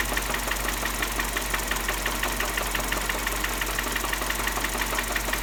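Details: Mini One 1.4 16V at idle with a hollow, regular knock about three per second from worn pistons slapping in the bores.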